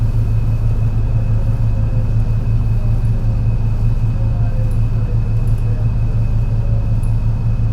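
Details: MAN NL202 CNG bus with ZF Ecomat 5-speed gearbox climbing a hilly route under load: deep drone pulsing unevenly; bad engine misfire on the climb.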